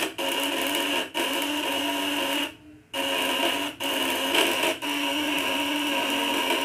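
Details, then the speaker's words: Contact-breaker (platina) coil device with double setting, tightened upper and lower adjustment: harsh steady high buzz that briefly drops out several times; running at 100% full output, normal. "Jadi ini benar-benar tenaganya mentok sampai mentok ya. Kalau 200-nya dia 100% ya."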